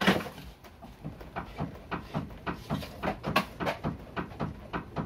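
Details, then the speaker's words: Ford Mondeo Mk3, car rocked by hand: irregular dull knocks and rattles from the right front; worn, loose front stabilizer link ball joints, fixed by replacing the links. "этот замечательный звук означает то что шаровые настойки ну вот у нас явно слышно это с правой стороны шаровые настойки вышли из строя и болтаются"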